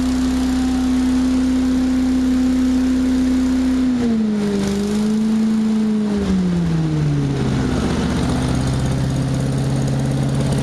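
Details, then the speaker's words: Rebuilt small two-stroke engine (Arctic Cat Jag, Poulan Pro, Murray or Billy Goat equipment) after full rebuild, with choke and throttle: runs steady at high speed then drops smoothly to lower even speed with no surging; normal running. "Already had it running a quick little second ago and it ran really nice."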